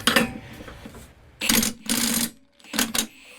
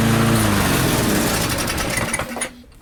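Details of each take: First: Barn-find Murray push mower with Briggs & Stratton engine, started on bench after drill cranking: failed pulls and coughs, then catches and screams to high racing speed; overspeed from wrong governor spring, to be lengthened. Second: Barn-find Murray push mower, Briggs & Stratton single, on the bench after governor spring adjustment, air filter off, targeting about 3400 RPM: steady, fairly high buzz, then cuts off cleanly and winds down fast as the engine brake works; normal running.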